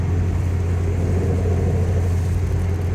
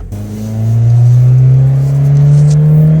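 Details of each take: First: 2003 Pontiac Vibe GT 1.8L driving about 60 mph: steady low droning hum under road noise from a worn driver's side front wheel bearing; noise started after hard cornering, goes away when turning, wobbles when jacked. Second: 2003 Pontiac Vibe GT 1.8L driving around town the day after driver's side wheel bearing replacement: engine pulls smoothly through gear change with only normal road and wind noise, no hum or growl with speed; bearing fine.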